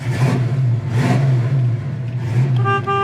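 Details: 1934 Ford street rod, fiberglass body, 351 4bb V8 with headers and dual exhaust: steady idle underneath, then two short clear horn toots at steady pitch; horn works normally.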